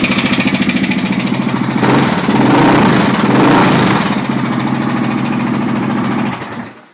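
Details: Honda XR600R single: rapid metallic top-end clatter rising with revs, dying at shutdown; owner suspects the timing chain, not confirmed.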